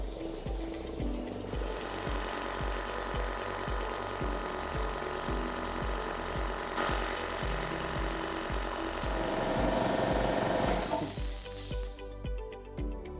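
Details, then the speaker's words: Air compressor function test after belt inspection and belt cover refit: steady pump beat builds pressure, then the pressure switch cuts off at 130 psi with a short hiss as the check valve unloads the head; normal healthy cycle. "You could hear that hissing sound at the very end, which is the check valve. Unloading the pressure off the head which is exactly what we wanted to hear."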